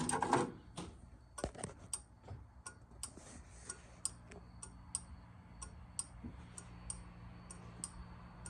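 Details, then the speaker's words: 1969 MGB with rewired hazard circuit: soft relay clicks come unevenly at first, then settle to about one or two per second; hazard flasher slow to start despite all connections cleaned, cause unknown. "okay I got my hazards are in there I don't know why they're slow to start up I've I've cleaned every freaking connection on this thing so that's a mystery to me"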